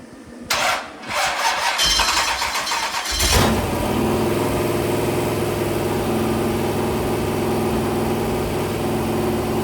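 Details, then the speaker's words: Rebuilt 426 crate Hemi V8 on run stand, camshaft break-in at 2400–2500 rpm with 32 degrees timing, occasional revs kept between about 2000 and 2800 rpm; cranking bursts then smooth even fast idle, no knocks; normal. "I'm at 2400 2500 RPM, 32 degrees of timing. Every so often, I'll rev it."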